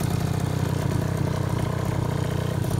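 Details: 2004 KTM 50cc Mini Adventure two-stroke after piston ring replacement, new gaskets, carburetor clean, with upgraded polished exhaust: steady, even buzzing idle with no misfires or rattles; normal idle.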